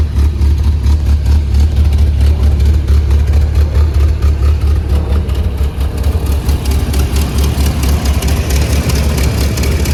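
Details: 1981 Toyota Pickup 4x4 engine, freshly rebuilt with a performance cam and Weber 32/36 carburetor: a deep, steady idle with an even, rhythmic cam lope around ninety beats a minute; a healthy engine.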